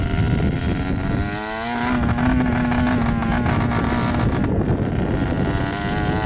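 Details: Yamaha YSR 50 two-stroke with aftermarket DG pipe, leaking some gas, on its first ride after purchase: revs climb but the note is ragged and uneven under throttle; owner suspects something is plugged and restricting fuel flow; rough running.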